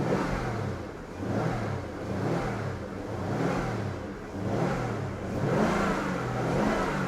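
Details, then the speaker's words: Jaguar XK8 that would not start, running after fresh fuel and a spare battery: revs rise and fall in clean throttle blips about once a second; owner suspects an air bubble coming through the fuel. "I think it is possible. Right. Just on the off chance I'm going to just heard it stall again."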